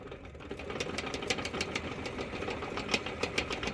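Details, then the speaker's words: 1962 Sprunger Brothers wood lathe driven by a sewing machine motor: motor hum with uneven light clicking from the headstock, suspected worn spindle bearings, to be replaced with new 20x47mm bearings. "And I think I have a shot bearing. So what we're going to do today is replace these bearings."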